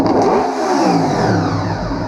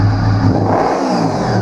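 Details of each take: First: 1998 Honda VFR800Fi that sat about 8 years, run with airbox open: idles fine and revs cleanly on gentle throttle, but stutters and bogs when throttle is snapped open; blamed on a mass airflow control issue. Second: 1998 Honda VFR800Fi that sat about 8 years, revived and started: smooth, even rev climbing cleanly from idle with no stutter or misfire; engine idles and ramps up healthily.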